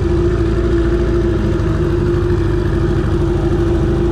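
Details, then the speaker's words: Johnson 20 hp two-stroke outboard on the water after carb clean, lower unit service, water pump and idle adjustment: steady even drone near 350 Hz, no knocks or misses; water pump working, runs smoothly under throttle. "this is basically the idle would drive the water pumps working down there it's got a really good idle give her a little fun"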